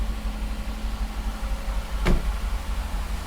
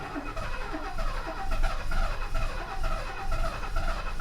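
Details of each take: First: 1969 Mercedes 280SE, first start in 18 years after mechanical fuel injection pump repair, timing set and an external fuel tank added. Steady, even low idle with no knocks, misses or hunting; it sounds like a healthy engine. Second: 1969 Mercedes 280SE after its mechanical fuel injection pump was repaired, timing set and an external fuel tank fitted, starting for the first time in years. Long uneven cranking at about two turns a second stumbles into a rough run. It lurches in gear because the shift linkage is disconnected.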